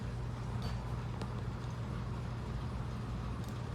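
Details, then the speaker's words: Antique Diehl Hatbox ceiling fan on slow speed after a fiber thrust washer was replaced with a Torrington needle bearing and a missing set screw was added: a low, steady hum with no rubbing or ticking. The slight shake comes from twisted, unbalanced blades. "But the noises are all gone."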